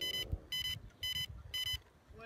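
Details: DJI Phantom drone just pulled from a lake after failing and crashing, connectors suspected to have come loose: short high-pitched beep bursts about twice a second over handling noise, still beeping and signalling a fault.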